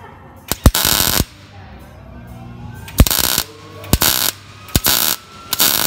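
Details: Miller MIG welder, manual pulse technique on 18-gauge thin butt joint, settings slightly hot: short half-second bursts of steady crackling sizzle with pauses between; stable arc, no popping or sputter; normal welding.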